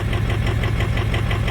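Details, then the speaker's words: 2005 Ford F350 Super Duty 6.0 diesel misfiring at idle, lumpy with uneven knock; cylinder contribution test shows cylinders four and seven weak, glow plug fault on six; seven improved once warm, four still weak; injector problem rather than mechanical. "05 super duty it's got a miss as you can hear it it has a cylinder number four contribution balance on the number seven and the glow plug problem on number six"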